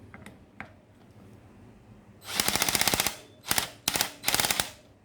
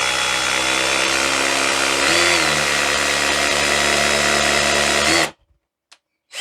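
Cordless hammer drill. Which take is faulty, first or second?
first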